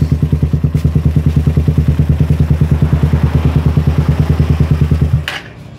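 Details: Suzuki Satria FU after removing the exhaust camshaft decompressor: electric starter cranking with an even deep chugging about three beats a second, the earlier tek-tek noise gone, then stops; normal cranking.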